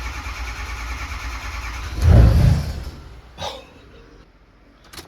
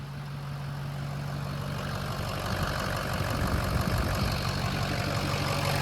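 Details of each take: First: Diesel truck cranks, fires with one burst then dies within a second because the fuel pump was left unplugged, so no fuel supply; plug was left unplugged. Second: Diesel truck restarted after the fuel system was starved by a plug left unplugged, fuel pressure now restored: an even diesel rumble that steadies and firms up over a few seconds with no misses or knocks; the injectors seem okay and the idle is normal.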